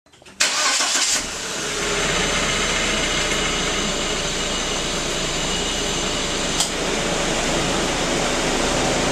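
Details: 1999 VW Passat 1.8T cold start into fast idle: loud steady high whistle over the engine, like turbo noise; exhaust leak from loose header-to-cylinder-head bolts, louder with turbo load.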